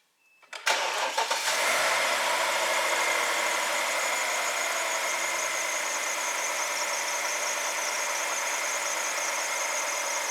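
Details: BMW N62 V8 after new MAF sensor fitted for MAF and fuel trim codes, letting it run to warm up: starter catches quickly, smooth steady idle with no stumble or knock, idle tone changing, healthy.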